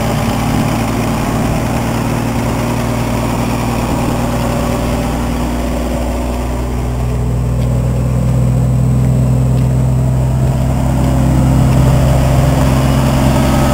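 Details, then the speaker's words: Cheap truck with a new muffler just fitted, tailpipe not yet added: deep steady idle rumble with an even exhaust pulse and no rasp or blowing, much quieter than before. Normal exhaust note. "oh yeah I forgot you can obviously hear the difference now it's much more quiet in here now"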